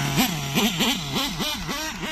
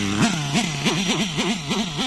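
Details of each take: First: Nitro RC engine after running too lean, high-speed needle wound back half a turn: revs bob up and down, then climb cleanly into a smooth, steady high-pitched scream with no stumbling. Now running properly. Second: Nitro RC car engine deliberately run too lean with the high-end needle opened a big half turn: a high scream whose pitch sags and recovers about three times a second. Winding the high-speed needle back half a turn stops it.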